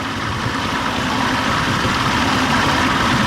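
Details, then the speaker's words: Old two-stroke outboard with a past stalling and bogging problem, just after a new fuel pump was fitted. It starts quickly with the primer held in, the best start in a long time, and settles into a steady, even idle with a soft low burble and no stumbling or surging. "all right push it in quick primer start wow oh wow it hasn't started up like that in a long time what's going on incredible"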